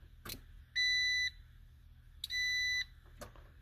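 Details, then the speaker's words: Key-on with a brand new fuel pump and a roughly 8-year-old battery: chime and relay clicking on and off, but no pump hum and no fuel pressure (30–35 expected). The pump is not running. "I'm going turn the key on don't hear anything don't hear the pump run"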